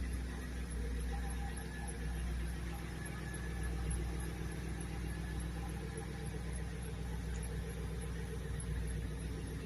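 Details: MG ZT 260 V8 idling evenly with a steady, high, thin squeal that holds its pitch; source of the squeal unclear.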